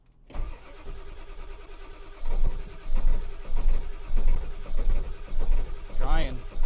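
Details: Ford 7.3 diesel truck at 22°F after three glow plug cycles: starter cranks in a steady rhythmic churn for several seconds but never fires; owner says starting fluid would fire it, cause unconfirmed.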